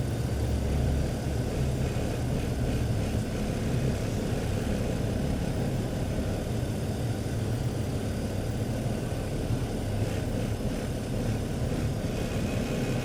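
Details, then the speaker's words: 2005 BMW 325i, code P0300 with cylinder 2 misfire, intermittent rough running; steady idle with an uneven stumbling beat and a dropped pulse, a dead miss, with the scope apparently showing excessive secondary resistance on cylinder 2. "Now it's, as you can hear, it's already a dead miss. You can probably hear it."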